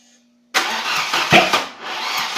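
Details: 740 cranks but will not start: sudden starter churn with uneven surges, never settling into a running idle.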